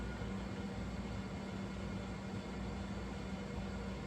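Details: Repaired original MFM hard drive in an old Compaq 386: steady low hum and whir at spin-up, no squeal or scraping. Normal hard drive running.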